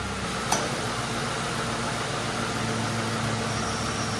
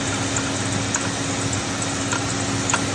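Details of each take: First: Mercury Grand Marquis after replacing the idler pulley, tensioner and serpentine belt: smooth, steady idle with the AC on and no squeal or chirp; before the repair the tensioner bounced with the AC on. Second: Mercury Grand Marquis idling with a steady hum and faint, uneven light knocks from worn belt idler pulley and tensioner; tensioner visibly moving; both replaced.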